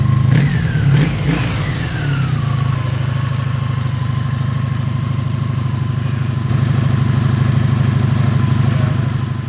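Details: 1983 Honda V65 Magna/Sabre 1100 V-four started the next day: starter whine falls away as engine catches, then settles into an even, steady idle; runs cleanly.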